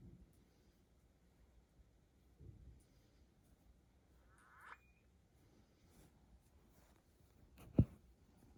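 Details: MacBook Pro (M1 Pro) making new sporadic faint crackling, a squeaky creak and a click, no fan rush: right cooling fan clogged with dust and not spinning; cleaning fixed it.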